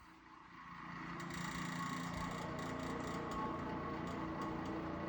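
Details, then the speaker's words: Lakewood Model 792A electric milkhouse utility heater on the 1300 W setting: steady fan whoosh with faint uneven ticking rattle about three times a second; owner suspects dry motor bearing or loose fan blade. "Okay, that doesn't sound good. We got something wrong here. I'm thinking it's either a dry motor bearing or the fan's blade itself is loose."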